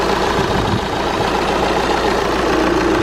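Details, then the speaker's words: Volkswagen TDI diesel at idle, heard with the hood open, engine running, being checked for anything unusual including fan behaviour: steady, even diesel clatter with no knocks, misses or rattles, a healthy-running engine. "Now obviously these diesels, it's a diesel, right? So it's going to be louder, it's going to kind of clank around."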